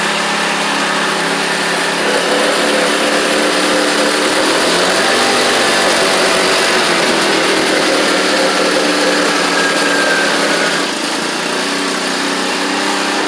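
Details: X-Pro X20 GY6 scooter after carburetor replacement; steady slightly raised idle, dies if set lower; owner suspects remaining vacuum leaks, later traced to oversized intake manifold, replaced so it idles low and steady; high idle.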